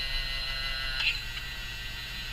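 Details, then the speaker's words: Yaesu FT-767GX HF transceiver under repair, tuner start pressed: small tuner drive motor gives a thin steady high whine with a faint click as the capacitors move; gear train audibly noisy, though less than originally. "And you'll notice that these capacitors start to move. Okay. They do actually move now, which is wonderful. You can hear that noise."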